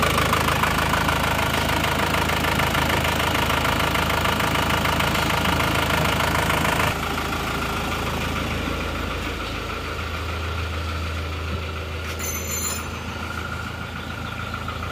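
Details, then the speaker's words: Diesel car not run for 3 years, just restarted; steady idle clatter, even ticking about three per second, no miss, slight noise possibly from long disuse; normal cold diesel idle. "gambarti mesnya halus ternyata cekit tapi mungkin karena efek lama belum dihidupkan terpantau aman ya"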